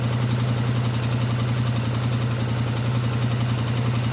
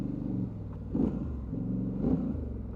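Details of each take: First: 2019 Polaris Sportsman 1000XP that overheats on trails. Idling with a sensor disconnected to force the fan on, the check engine and hot lights come on, but only a steady low idle is heard with no fan whoosh. The radiator fan is not running; its circuit breaker and relay are to be checked. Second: 2019 Polaris Sportsman 1000 XP parallel twin, warm at 201–203°F with the fan on, in two-wheel drive performance mode after an overheating check: deep, lumpy V-twin-like rumble rising smoothly with throttle, no knocks or misses; healthy engine under acceleration.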